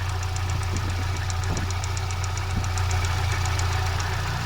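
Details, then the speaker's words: Kia Spectra at idle, oil filler open: hollow sucking rush with faint regular ticking, strong crankcase vacuum pulling the cap in. The intermittent whistle from the throttle side is absent now; cause unknown. "И эту пробку ее как будто туда, эту пробку не как будто ее туда прям засасывает."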